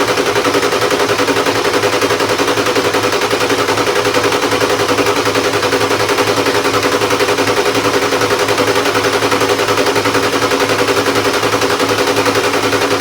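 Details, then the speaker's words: 1996 Ford F350 7.3 diesel not started in years, new starter: long steady cranking at about three compression beats a second that never catches; getting fuel but a bunch of air in the fuel system, tank suspected. "okay all right let's try to roll hear that bunch of air but we're getting fuel now these things kind of do suck when they're on fuel to get already primed"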